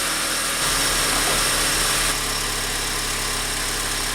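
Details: 2004 Honda Accord EX 2.4L four-cylinder after alternator and serpentine belt replacement for a battery light: catches cleanly into a steady, even idle with no knocks, squeals or belt chirp, charging at 14.1-14.2 V with the battery light out; normal idle.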